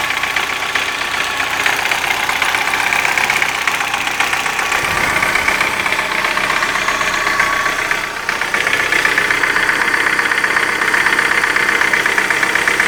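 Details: Light, quick ticking about four per second over a steady warm idle; started after hydraulic lifter replacement, no knock when cold, cause not pinned down.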